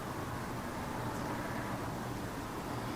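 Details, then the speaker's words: Old MTD Yardman DX70 with Briggs & Stratton 190000-series engine (198707-0141-E1), after a new exhaust pipe fixed excessive noise: low, even hum running steadily, no rasp or blat, properly muffled. Normal running. "New exhaust pipe on this Yardman DX70. Much quieter now, which is really good news"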